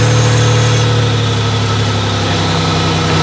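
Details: Buick LeSabre that sat 3 to 4 years, running after the fuel pump was revived. A steady, even idle with a smooth low rumble and no knocks or misses. The engine runs cleanly.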